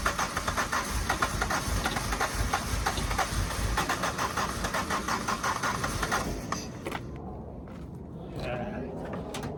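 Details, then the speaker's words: Suzuki Swift 1.6 AWD saloon, long-standing no-run car: steady rhythmic cranking for about six seconds that never fires; suspected no fuel, possibly the previously seized fuel pump, not confirmed. "thr does that sound like a no fuel to us [Music] need to go check the fuel pump maybe that seized again"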